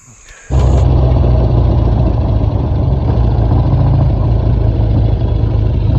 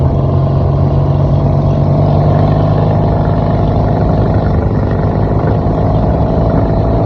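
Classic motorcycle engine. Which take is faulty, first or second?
second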